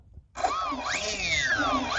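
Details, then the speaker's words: E-flite Cherokee V1 RC plane electric motor, tested with the propeller off after a loose motor label that caused noise was removed: clean whine rises and falls smoothly with throttle, no rubbing. Normal motor run. "that's that now it sounds really good"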